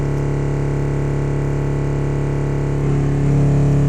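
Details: Alpine MRX-M240 amp on the bench after a burnt fuse contact was cleaned, fixing output that cut out. Supply about 13.9 V on a 10 A charger as gain is turned up. Steady, clean low bass swells louder near the end, with no crackle or cut-outs: normal output.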